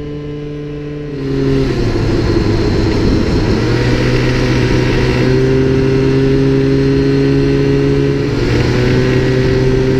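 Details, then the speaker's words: Minarelli two-stroke scooter engine: buzz shifting pitch with throttle, a light metallic rattle on top, spark knock (detonation) at part throttle and while changing throttle position. "hopefully you were able to hear it please remember that it may sound a bit different in different engines or circumstances this was a two-stroke sometimes it sounds more high pitched in Two Strokes"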